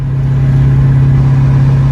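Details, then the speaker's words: LS-swapped Chevrolet S10 with T56 gearbox, after pilot bearing and input shaft slack fixes: loud steady low drone at even pitch, rolling with clutch in, noise in first, some in fifth and sixth; transmission noise, source unknown. "well still kind of doing it first gear still got a little bit of a noise in fifth and six but other than that it don't let me slow down here to first gear"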